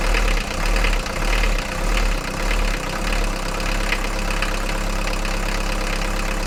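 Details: Mercedes 240D diesel, previously clanking and smoking, after fuel injector repair and valve lash adjustment, injector lines bled and tightened; steady, evenly spaced clatter at idle with no clanks or misses. Normal diesel idle.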